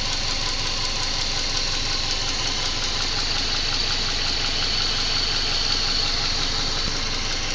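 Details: Subaru EJ204 engine after installing a used contract engine, at idle: sharp regular knocking about three per second that stays steady and does not smooth out; internal engine knock, cause unknown.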